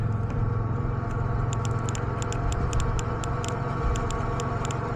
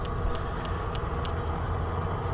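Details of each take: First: Mazda NA Miata with a 1.6-to-1.8 engine swap that won't start; injector test with power probe on injector #1, which clicks hard: sharp crisp clicks about five a second over low hum, normal fuel injector click, while other injectors are faint. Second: NA Mazda Miata with 1.6 to 1.8 engine swap, no-start, all-injector scan-tool test: light sharp ticks about three a second over a low hum; only one fuel injector clicking, others dead.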